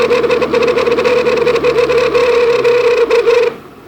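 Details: Pontiac GTO with T56 transmission and recently upgraded Ford 9-inch rear: loud steady buzzing hum with fast rattling flutter that cuts off abruptly, intermittent, triggered by pavement changes or bumps, eased by shifting in and out of neutral.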